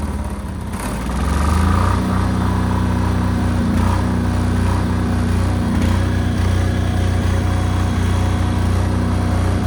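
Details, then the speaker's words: New Chinese air-cooled single-cylinder diesel generator (Yanmar L100 copy, 5000 W), first start after bleeding fuel, breaker off. Cranks, catches within a second or two, then settles into an even, steady low thump without sputtering; healthy. "Got the garage door closed cuz this thing's loud. It's not loud loud, but it's loud enough to for me to not talk over the camera."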